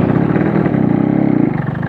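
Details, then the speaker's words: Yamaha RX King two-stroke with Altech exhaust, pulling hard in first gear on short acceleration: choppy, stuttering bark with popping blowback; suspected compression leak; sags every time throttle is reopened. "dengerin gitu ini pertanda ada pantulan balik jadi kompresinya bocor"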